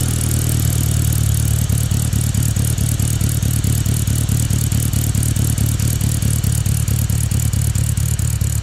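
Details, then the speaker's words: Classic Mini with SU carburetor started on full choke: loud lumpy idle with an uneven chug and rattle a couple of times a second; the engine struggles against too rich a mixture from excess enrichment. "you'll start hearing the engine struggling against this much fuel it does not need it it's a chugging sound"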